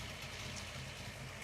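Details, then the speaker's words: Ford Falcon V8 after a new water pump and coolant refill, warm idle with the temperature gauge coming up: deep, even burble with a steady low beat, no knocks or misses; smooth, healthy normal idle. "One of my favorite parts of driving this car is cruising up to a red light and letting it idle at the set of traffic lights. I actually I appreciate listening this thing idle."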